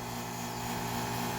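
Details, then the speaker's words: AC outdoor unit about 3.5 years old, house at 81°F with thermostat set to 68: steady compressor hum but no condenser fan air; the outdoor fan is not running due to a bad run capacitor. "working, but the fan is not moving."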